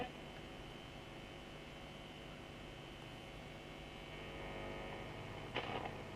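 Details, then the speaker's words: Grounded vintage radio tuned off station, steady low gritty mains buzz heard anywhere across the band, rising with volume to a point; lights ruled out, earthing suspected, not confirmed. "But the buzzing's there even though it's off a station. And anywhere across the band, you can hear that buzzing. And it increases to a point with the volume."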